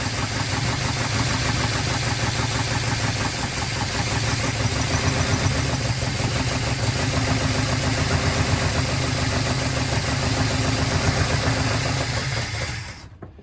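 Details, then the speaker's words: 1970 Dodge D100 383 big block, sat 30+ years, just started after carb cleaning: slightly uneven idle with steady hiss over exhaust pulse; vacuum leak from an unplugged PCV port, lifters noisy with oil full. "Hear a vacuum leak. I forgot to plug that off. Okay. That's PCV."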